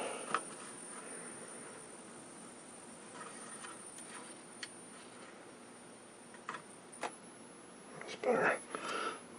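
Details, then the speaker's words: 1949 Admiral 19A11 7-inch electrostatic TV during restoration: a thin, steady high whistle from the horizontal oscillator that changes pitch and comes and goes as the horizontal hold control is turned. "so that's horizontal hole it makes sense when i turn that the squealing comes and goes because it's trying to it's altering the frequency of the horizontal circuit"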